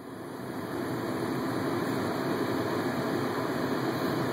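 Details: BMW 760Li on a hot afternoon, cabin: steady airy hiss from the ventilation, unchanged by auto, heat or cool settings; cause unknown.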